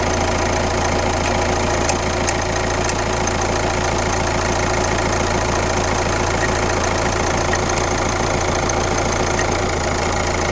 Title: Kia Ceed 1.6 CRDI 115 km D4FB Weird noise from engine #1